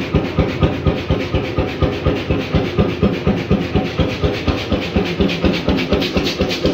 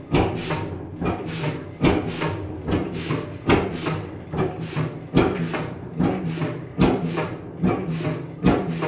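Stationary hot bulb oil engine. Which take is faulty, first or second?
second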